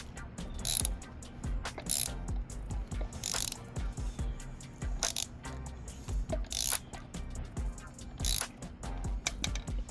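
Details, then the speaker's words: Cheap Benelli 302S, engine turned slowly by hand: ratchety clicks with occasional heavy clunks like something dropping. Timing marks show one cam aligned and the other not, so cam timing is suspected to be off. "Discovery of the day is might be out of timing. So, I'm going to go through just listen. All right. You're going to hear what sounds like something dropping."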